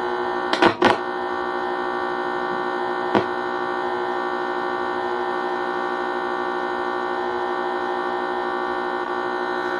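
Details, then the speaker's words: Home theater amplifier switched on with its internal ground wire disconnected, no programme playing: steady buzzing hum at constant level; mains hum from missing ground, stops once ground is connected. "But इसके अंदर से कुछ humming की जैसे noise ए रहा है कुछ ना क्योंकि इसके अंदर हमें जो ग्राउंड है वो हम कनेक्शन नहीं किया"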